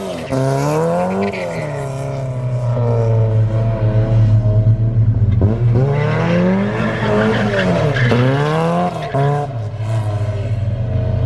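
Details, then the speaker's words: Porsche 944 race car driven hard after fresh gas replaced stale fuel: revs climb and fall smoothly under load with tires squealing through turns, no stumble; runs really good. "There it is, guys. A little new gas and It's running. yeah, it runs really good."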